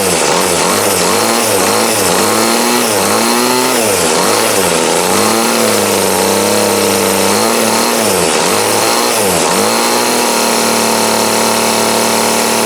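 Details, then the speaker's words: 2008 Troy-Bilt TB20CS 31cc two-stroke trimmer after new fuel lines, filter, primer and carb adjustment to remove a dead spot: buzzy revs up and down cleanly, steady high speed, no stumble; normal running, still needs slight tweaking. "Now you can hear that thunder. So now, with that, it still needs tweaked just a little bit, but she's running good, so now it's a win."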